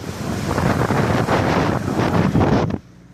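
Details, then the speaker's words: 2007 Saturn Ion driving after a loose wheel bearing was replaced: steady road and wind rush with no hum, growl or rhythmic roar from the wheel; drives smoothly, the bearing quiet. "but now it ain't making no sound it drive it real smooth too"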